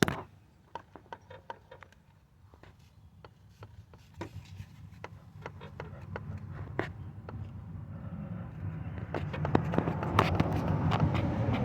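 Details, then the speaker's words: 2005–2010 Jeep Grand Cherokee rear driveshaft rocked by hand: sharp little metallic clicks, about three a second, from worn pressed non-greasable U-joint caps with slight play; same fast clicking heard when braking while driving; caps to be replaced. "not a lot but it's just enough to show that there's some movement up here on these ones here on the side here so this these are the ones that are bad"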